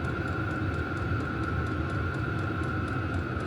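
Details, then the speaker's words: Vevor diesel heater for a rooftop tent, turned up to high by remote: steady jet-like blower roar with constant high whine and fuel pump ticking about three times a second; running normally. "and I don't know if it's picking it up on the audio but it sounds like a little jet engine's taken off and it really starts cranking"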